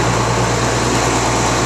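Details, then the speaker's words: Rebuilt tractor diesel after its first start, held at high idle: a loud, even drone at fast idle with no knocks, misses or surging; a normal high idle. "Now I'll get this up to a high idle. And I'll run it for about an hour."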